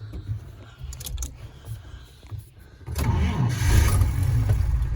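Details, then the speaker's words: Vintage car engine hot start after sitting a couple hours, no throttle given: brief crank then instant start with no hesitation, settling into an even run; not flooded, a clean healthy hot start. "Hear how that was so fast? Like instant start. There was no hesitation at all."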